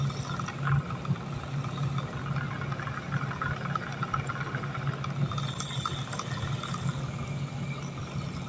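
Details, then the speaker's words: Wilo circulation pump in a ventilation unit hums steadily with an uneven rattling, gritty undertone from play in its rotor. "циркуляционный насос вент установки работает шумом посторонний"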